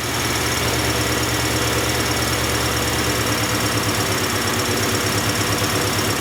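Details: 1994 Acura Integra 1.8 L DOHC after a cold fast idle valve adjustment for idle surge, engine still cold, slight flow still felt through the valve port. Steady, even, smooth low thrum with no hunting: normal idle.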